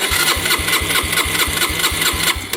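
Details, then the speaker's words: 2011 Yamaha Raptor 125 quad, which the seller says bogged, lacked power and wouldn't idle: steady starter cranking about three pulses a second with the choke tried, but it never fires; the owner suspects it isn't getting fuel. "But right now, you turn it on. You crank it over and it doesn't do anything here. Doesn't even pump over to me. It seems like it's not getting fuel."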